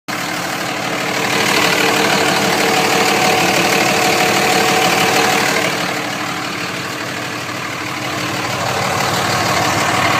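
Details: Cummins diesel idling: fast regular tapping about three per second and an odd hum that swells and fades; cause unknown.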